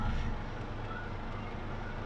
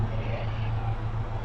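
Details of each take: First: Chevrolet/Suzuki Grand Vitara J20A after the faulty cable causing the cylinder 3 misfire was repaired: a steady, even idle heard at the exhaust, with no stumble and no vibration; all four cylinders now show normal ignition signals. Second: Chevrolet/Suzuki Grand Vitara J20A at idle, heard at the exhaust, with engine shake and lost power: a low, shaky, unevenly pulsing beat; cylinder 3 misfires, showing almost no secondary ignition signal, traced to a faulty cable.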